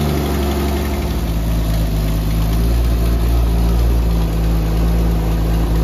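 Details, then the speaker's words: 1964 Dodge Dart station wagon, 170 slant six with push-button automatic, revived after 25+ years parked, restarted after the stripping belt was dealt with: smooth, even low idle with steady beat, no knocks or stumbles; running really good, normal idle. "I mean, that thing seems to be running really good, doesn't it?"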